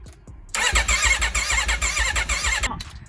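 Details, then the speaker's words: Wrecked 2021 Aprilia RSV4 being revived on a chilly day with a fully charged battery and fuel, in neutral: starter churns in quick, even pulses for about two seconds but it never fires; it cranks without starting. "nothing nothing still doesn't want to start when we crank it over"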